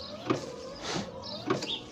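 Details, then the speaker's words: Nissan Tiida (2010–2016) in active component test mode, entered by pressing the door switch 10 times: short electric motor whirs with a sweeping swish as the windshield wipers cycle normally. "entonces aquí lo que va a hacer el vehículo va a entrar en el modo de prueba prueba de componentes o test activos entonces ahí están funcionando los parabrisas"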